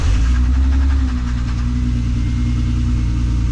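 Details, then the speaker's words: MK4 12v VR6 wagon first start right after installing Techtonics Tuning 268 cams with new gaskets: brief uneven lope, then settles into a steady, smooth low idle with no knocking or marbles; sounds good so far. "sound like she had to get situated but she's good now yeah we'll let it run for a minute and it comes down and we'll see but okay um so far sounds pretty good"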